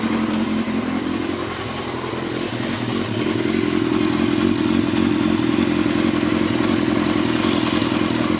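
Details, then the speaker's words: Yamaha Thundercat motorcycle after reassembly, outdoors warming up to temperature: even, steady idle rising smoothly on blips and settling back without misses or knocks; owner says it sounds spot on, everything working as it should. "That should sound spot on. All the lights work. Everything's working as it should."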